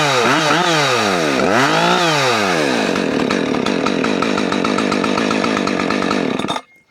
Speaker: You can kind of hear how it was bogging before and then once you shut it off and restart it, it got more RPMs.